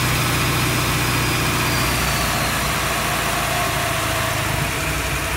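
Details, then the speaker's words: Petrol engine with a homemade manual idle speed control using a stepper motor board. After pressing the up button, the steady, even idle eases back down to a normal low idle, showing the controller works. "can hear the engine idle speed going back down again pig shows that off controller is working"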